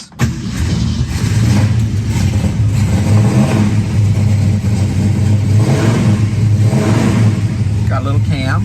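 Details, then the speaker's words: Cold start of a 1966 Mustang GT fastback V8 (four-speed, a little cam) on its original 1966 Ford mufflers: it fires, gets a couple of quick revs, and settles into a strong lumpy idle; normal, running healthy. "he likes to Rev so it's cold at the moment but it'll warm up and run real nice to that exhaust"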